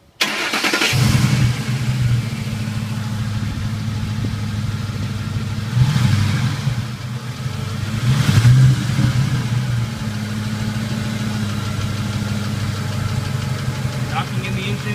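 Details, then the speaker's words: 2007 Ford 5.4L 3-valve V8 with code P0340 despite new cam sensors: starts and settles into a rough, uneven idle with loose knocking and ticking; owner suspects VCT solenoids or cam phasers, not confirmed. "and usually there's some tick again there's [Music] knocking very rough idle"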